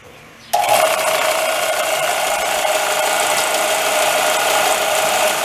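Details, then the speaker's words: Machine nicknamed Old Clunky switched on: sudden start into a steady rough buzzing drone with a faint high tone and a loose clattery edge throughout. Clunking noise while running. "You can hear that, that's why I call it Old Clunky."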